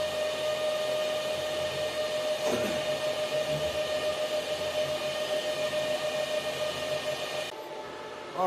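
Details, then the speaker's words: Antminer L3+ Scrypt ASIC miner, a little over five minutes after startup at full hashrate, stock fans and factory settings at 3700 rpm: constant loud rushing whir with a steady mid-pitched tone. "this is the noise you get from the the factory settings of the miner itself using the factory uh [Music] fans right now at the moment the fans are running at 3 700 rpm"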